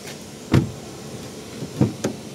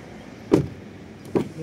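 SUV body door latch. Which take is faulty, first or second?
first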